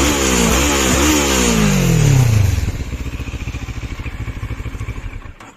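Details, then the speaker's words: New CF Moto MT 650 parallel twin motorcycle at about 400 km: crisp revs up and back down, then an even, steady idle pulse; healthy, smooth-running engine with stock exhaust. "sesi de güzel yani hoş çift silindir"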